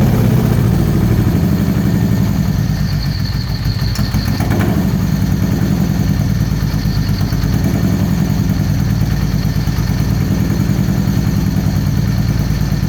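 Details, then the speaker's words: Supercharged 2013 Victory Cross Country V-twin, first start after sitting over a year: a lumpy, uneven idle with a loping beat, running on one cylinder. A damaged front plug wire was not making contact and fouled the front plug. "all right sound like it's only running on one cylinder let's try out some different plug wires"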